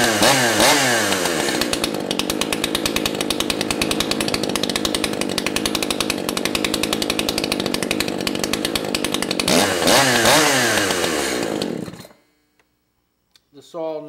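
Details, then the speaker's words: Echo CS 590 two-stroke chainsaw, low-speed carburetor screw turned clockwise: high buzzing rev surges and wavers, then suddenly dies; low-speed mixture set too lean, later backed out about 1/4 turn. "I turned the screw in clockwise. It got leaner, started to rev a little bit, and then nearly died."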